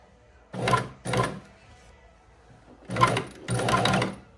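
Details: Shark EuroPro X 605 sewing machine stitching under presser foot control: short stitching bursts with a thin high squeak over each run, coming from somewhere at the top of the machine.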